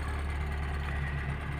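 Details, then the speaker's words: Toyota Starlet cold start in the morning, idling on choke at raised rpm and left until engine speed rises by itself and hums slightly before easing the choke; oil circulation to cylinder head, about 5 minutes; cold fast idle on choke. "Kemudian, kita biarkan saja selama beberapa saat sampai kecepatan mesin meningkat dengan sendirinya. Begitu mesin mulai berbunyi mendengung sedikit, barulah kita bisa mulai menurunkan choke."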